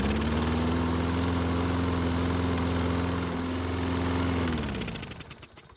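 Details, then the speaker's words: Toro mower found unused, with clogged, collapsed air filter, cold start after priming the carb: engine runs evenly a few seconds, then sags and dies once the prime is used up; choke flap not closing for cold start. "So, if you didn't notice it, the choke flap was not closed like it should be for a cold start. That's why we need to prime it to start it."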